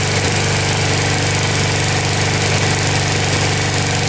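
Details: Older Briggs & Stratton 3.5–4.5 hp mower engine (carburetor on metal tank) after carburetor diaphragm replacement and cleaning: steady, even single-cylinder beat at moderate speed with no misses or surging. Normal running.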